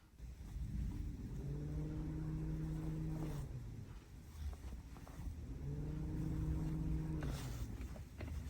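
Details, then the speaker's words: Honda Civic radiator fan commanded on through a Launch X431 CRP919E bidirectional actuation test; two even low hums spin up, hold steady about two seconds and wind down: fan working normally. "right, so radiator's working good."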